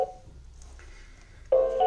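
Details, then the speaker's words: New Xiaomi Xiaowa robot vacuum on its charging base: brief two-note beep, faint high tone, then louder two-note chime repeating in a loop; Wi-Fi light won't blink, won't power on off the base, owner suspects not charging. "ele não tá piscando e fica só andando esse barulho entendeu como se tivesse tentando conectar ao vizinho de cima bicho também"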